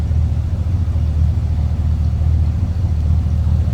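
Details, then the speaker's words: 1968 Ford Galaxie 500 sedan, stock 302 V8, heard at rear tailpipe; deep steady burble, even pulses with no misses, knocks or rasp, no loud exhaust, healthy small-block idle. "What you'd expect. No crazy exhaust or anything over the top. Just a nice sounding 302."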